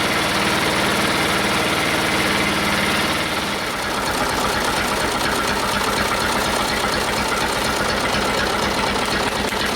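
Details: Detroit Diesel two-stroke in a cheap, long-sat dozer (one cylinder was full of water) runs on only 2 of 4 cylinders. Uneven idle, irregular lumpy thud about three per second; two cylinders dead from stuck valves.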